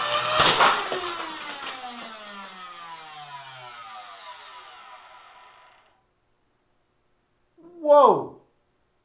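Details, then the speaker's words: Hoover vacuum cleaner universal motor on a drag-race stand: sharp burst at full speed as every commutator bar is thrown out, then the high whine falls steadily as it coasts down; overspeed and commutator failure. "now did you hear that thing race and take off there right at the end please tell me this is a good'n"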